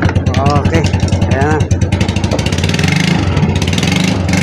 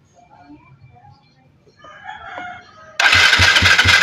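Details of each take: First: Yamaha Mio Sporty scooter that wouldn't start. The high-tension lead to the ignition coil had been chewed through; after splicing it, the engine catches and settles into a steady, even idle with no misfire or stumble. Running normally after the repair. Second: Yamaha Mio Sporty that won't start, cranking steadily with the spark plug out and no firing. There is no spark, traced to a broken pulser wire feeding the CDI.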